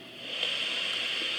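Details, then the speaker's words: 2SB56 germanium PNP transistor on a test jig with the test amplifier at full gain: steady, soft, even hiss only slightly above the amplifier's own noise; quieter than the 217, with decent gain; healthy, low noise. "with the uh the test amplifier turned up all the way it's almost uh just slightly above the noise of the test amplifier"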